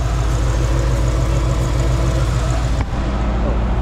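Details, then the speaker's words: Chevy C10 LS-swap V8 just started after swapping the 102mm throttle body for a 92mm one: loud, heavy drone with rough, uneven pulsing and a brief dip; no check-engine light, cause unknown. "I don't know about that that sounds crazy we're going to have to go drive it see what it sounds like I don't know why it's making that noise"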